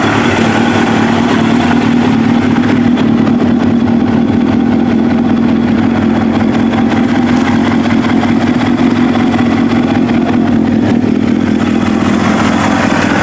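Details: Kawasaki ZX7R race bike, FCR41 flatslide carbs synced, fuel screws leaned from 2 to 1 turn out, warmed up: four-cylinder idling steadily, slight rise and fall about 1250–1500 RPM, no knocks; acceptable.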